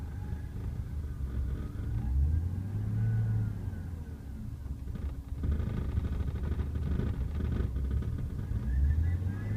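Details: BMW E36 M3 on cold start: rough start, idle bouncing below 500 rpm and sagging, occasional stalling, dips worst when revving. Camshaft position sensor and valve cover gasket recently replaced; owner suspects a vacuum leak. Rough idle with RPM dips.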